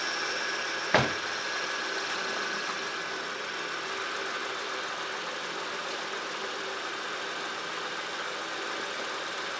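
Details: 2006 Honda Ridgeline RTL, engine at idle right after a DIY power steering pump replacement: quiet even idle with a soft steady hiss, no whine or groan from the new pump; steering turns easily and runs healthy.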